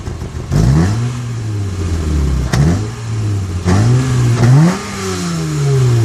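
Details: Acura TL that sounds modified: repeated throttle blips with a slightly uneven, stumbling note and the odd pop as revs climb and fall; intermittent random misfire.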